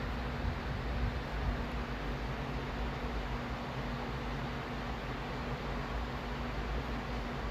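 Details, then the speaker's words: Newly installed A.O. Smith gas water heater that had been making a loud foghorn-like humming (harmonic vibration), after the fix and relighting the pilot: main burner gives a steady, soft rushing roar with no droning tone, normal operation. "Turn it clockwise. Main burner comes on. And that's it."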